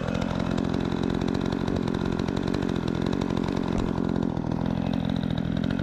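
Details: Repaired Remington 46cc two-stroke chainsaw with sharp chain cutting wood: high, steady buzz holds its pitch while cutting with no bogging or surging; strong and responsive, healthy engine under load.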